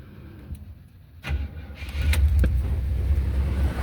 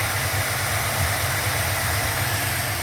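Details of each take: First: 1977 Buick LeSabre, first start attempt after sitting, fuel added and gas poured into carburetor: slow cranking, then catches into a low rumble but dies; runs only on poured fuel. Owner suspects clogged tank sending unit; fuel pump brand new. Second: 1977 Buick LeSabre idling smoothly after some carburetor adjustment, a soft, even low rumble with no misses or knocks. The owner suspects the float and needle were hanging up, not that it ran out of gas.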